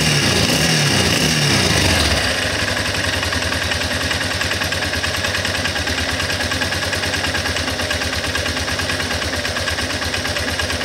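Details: Guerrero 250 ATV single-cylinder: after a rev blip, a fast uneven rattle about three beats a second over the idle; noise on acceleration, cause unidentified.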